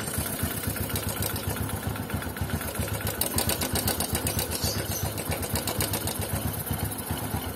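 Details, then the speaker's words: Honda Supra underbone motorcycle engine at idle with a fast, slightly uneven light ticking, about four a second, riding over the idle; identified as the cam chain tensioner, with repair starting there. "yang pertama adalah Tensioner karakter suaranya ini ketika bukan sela-sela itu dia bunyi"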